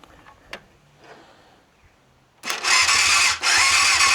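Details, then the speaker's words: Yamaha FZR400 revival after carb rebuild kit, new No. 4 carb and battery. Tank off, a little fuel syringed in and carb cleaner sprayed, starter solenoid bridged: brief quiet cranking, then it catches sharply and blips. Starts and runs healthy. "Yeah. She sounds healthy."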